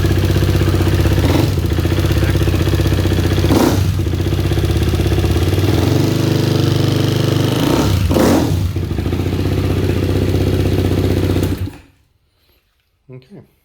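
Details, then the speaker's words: KTM 390 Duke after installing an APE manual cam chain tensioner, started after sitting a while; an even thumping single-cylinder idle at about four beats a second, no chain rattle or valve clatter, then shut off, so it runs normally. "that actually sounds really good. Valve train noise, I haven't heard any. It sounds on par with exactly what it's supposed to sound like, so I'm very happy with our result."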